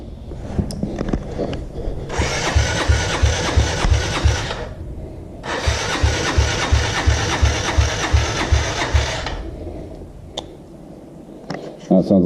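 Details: 2017 Yamaha TTR 50 dirt bike being fixed by an 8-year-old: starter cranks in two long bursts with labored, uneven chugs around three per second and no catch; slow cranking, battery suspected, not confirmed.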